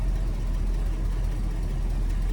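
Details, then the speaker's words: 1966 Ford Thunderbird carbureted V8 revived after years of neglect, no throttle linkage hooked up, not yet warmed: deep, even low rumble holding a steady idle with no knocks or misses; running smoothly. "Man sound listen to that thing huh holy macaroni the bird is alive"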